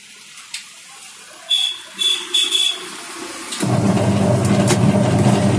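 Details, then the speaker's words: Washing machine that could not spin under load of clothes and water, after gearbox replacement with new square-type gearbox and pulsator refitted: few clicks, then even motor hum and steady churning rhythm, agitating smoothly and taking load. Normal agitation. "देखिए दोस्तों, अब machine हमारी जो है अच्छी perfect तरीके से घूम पा रही है।"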